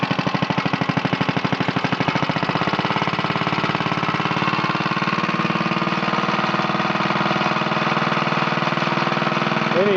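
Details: 1950 Briggs & Stratton model 6-S single-cylinder, made August 1950, lightly used, new spark plug, on a rolling table: slow, even put-put at very low idle, steady with no misses; runs like new.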